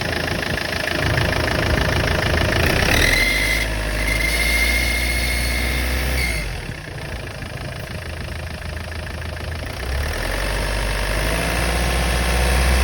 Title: непонятный свист турбины